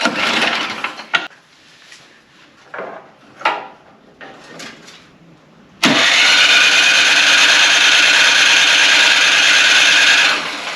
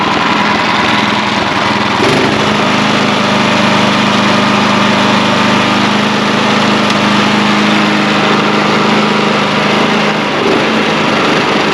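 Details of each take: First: Craftsman/MTD-type snow blower small gas engine that has clogged its carburetor before: steady whirring crank for about four seconds without ever firing; no start, clogged carburetor starving it of fuel. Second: Snow blower small single-cylinder gas engine after replacing the clogged carburetor, test run outdoors: fires up and settles into a steady, even buzzing run with no surging; healthy.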